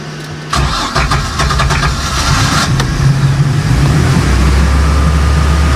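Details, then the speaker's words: Bayliner boat MerCruiser engine started after a few months laid up: short crank, catches into an uneven lumpy idle that slowly steadies, but tends to stall before warm-up; owner thinks it needs warming up properly. "needs warming up properly that's the issue"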